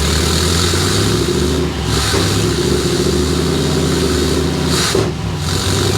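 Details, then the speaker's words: 454 V8 in a COE cabover truck, after ignition module replacement and throttle body rebuild: an uneven, lumpy bumble with terrible, sluggish throttle response. The whistle is the unhooked charcoal canister; the owner may replace the pickup and distributor. "can hear it there. This terrible throttle response."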